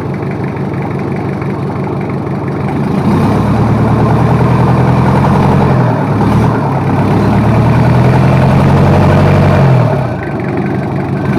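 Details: Toyota Kijang 2L diesel, freshly overhauled for low compression and abnormal noise, during break-in run at somewhat raised RPM: steady fast-idle clatter about 214 beats a minute, even and smooth, no knocks or misses; a water leak remains to be checked.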